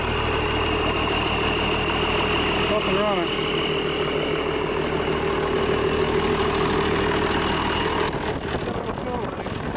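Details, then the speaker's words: International DT466 diesel, first start in 8 years after freeing a stuck fuel shutoff; steady, even idle with a smooth, unchanging beat and no misses or knocks, running cleanly. "okay folks I'm sure that engine there is going to be just fine"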